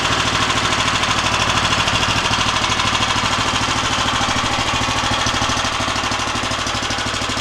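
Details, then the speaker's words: Harbor Freight Predator Hemi 13 HP 420cc OHV horizontal-shaft gas engine on a stump grinder, about 20 hours, electric start, choke off: steady, even fast chugging at constant pitch with no misses or knocks; running clean and healthy. "We'll go ahead and turn it on. It's going to get a little noisy, so I apologize for that."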